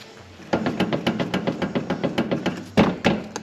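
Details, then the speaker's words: BMW F30/F31 (2012–2019) with the front driver-side wheel shaken side to side at quarter-to-three, heard from underneath: rapid dull knocks, about three to four a second, from a worn steering rack. "now if you grab your wheel at qu to three so side for side give it a little bit of a shake and you will hear that knocking"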